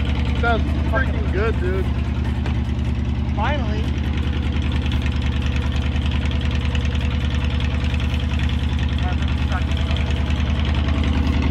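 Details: Kawasaki VN2000 (almost 2100cc V-twin) cold start after sitting a couple of months in freezing weather; settles into an even, lumpy idle of about three pulses a second with no misfires or knocks; sounds healthy.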